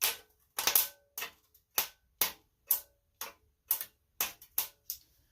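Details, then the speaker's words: Briggs & Stratton Intek 18.5 hp V-twin, starter fed directly from positive to its lug: sharp dry clicks about twice a second with no cranking; starter motor seized, can't turn by hand. "i'm gonna go with that starter is frozen yep i cannot move it with my fingers"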